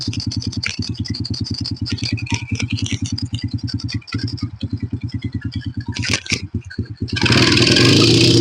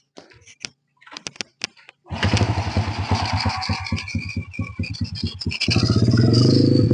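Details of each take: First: Honda Supra Fit New motorcycle with the choke applied again: uneven thumping, then a muffled, breathless rise on throttle that dies away; the choke does not spring back unless pried, bogging the engine and causing the hill power loss. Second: Honda Supra Fit New motorcycle that lost all power on hills, after the stuck choke was returned to open: the engine catches, idles evenly and revs cleanly with a little throttle, no bogging; it runs normally.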